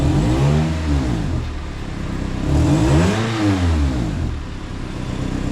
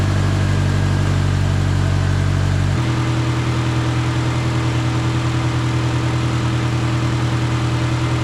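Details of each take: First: Honda CR-V after ignition coil replacement, O2 sensor codes present from aftermarket catalytic converters: engine climbs smoothly through two rev blips and settles with no stumble or miss; normal revving. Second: 2008 Honda CR-V after replacing ignition coils (owner reported stutter at red lights and with A/C on): initial start with slight uneven stumble, brief misfire, then pitch steps down to steadier idle.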